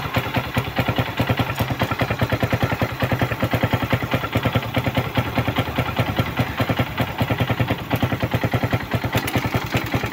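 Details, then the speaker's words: Suzuki Raider 150 run dry of oil: steady clattering knock over rough idle, heard via stethoscope loudest low in the crankcase, also at head and piston bore; bottom-end and piston wear from oil starvation. "doon sa ilalim sa may crankis maingay So check natin dito sa heit."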